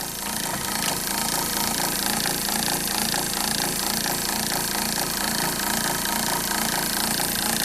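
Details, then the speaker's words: RV water pump not moving water, disassembled: motor runs with a rough uneven buzz and rapid irregular knock over a harsh whine; owner suspects something wrong with the motor. "i'm just gonna just guesstimate there's something wrong with the motor i don't know if that's how it's supposed to sound"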